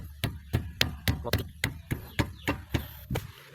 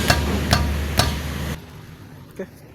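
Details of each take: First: 2005 Toyota Vios (Limo Gen 1) front left corner after repair, tested by striking the tyre: about a dozen dull thuds, each dying out cleanly with no metallic rattle; clunk over rough roads fixed. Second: 2005 Toyota Vios (Limo Gen 1) front left wheel struck, before repair: three sharp metal-on-metal clunks about half a second apart, then silence; loose brake caliper knocking, the cause of its clunk over uneven or potholed roads.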